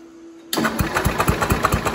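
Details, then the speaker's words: Jacobsen Chief 800 during restoration, engine now turning easily versus hard before: brisk even cranking about four turns a second, no dragging or grinding; starter cranks fast and strong. "Oh, that's great. That is turning fast. Perfect."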